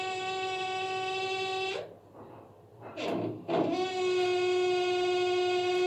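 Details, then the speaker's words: Baxi gas boiler with an added extra pump that presses on the three-way valve seals in hot-water mode: steady piercing whistle from the three-way valve, traced to a worn shut-off seal. "какой то момент мы ловим 3-ходовой клапан на вот этом звуке вот этот звук этот звук создавал 3-ходовой клапан"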